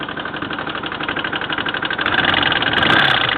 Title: 1984 GL1200 Knocking sound